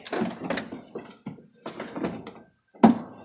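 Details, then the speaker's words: Jeep door with a replacement door check strap fitted after grinding a point on the pin; it came greased and will get white lithium spray. Repeated dull clunks and scraping thunks as the door swings; still stiff and noisy. "little stiff and noisy, but there's grease on it from wherever it came from. So hopefully that'll quiet down."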